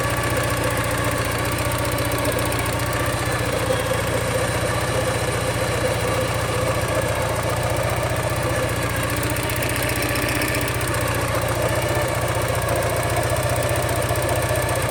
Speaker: 1985 Porsche 944. What I think is rod knock. Comes at about 2,000 RPM.